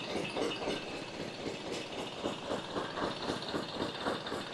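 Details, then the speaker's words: Glonet (Indian Lister-type) twin-cylinder diesel after fuel system cleaning and priming: even, steady chuffing about four beats a second with no misses or knocks; runs well, though left cylinder can miss fuel at lower speed. "pretty happy with that."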